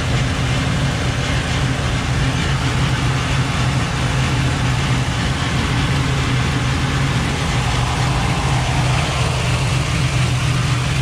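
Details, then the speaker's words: Chevy Nova on a road drive: steady engine drone with a constant buzzing rattle resonating through the body; nothing found loose or touching, source unknown; owner suspects the rubber isolators atop the coil springs at the frame sockets. "irritating I can't I can't find it nothing thing is loose nothing is touching where is it coming from"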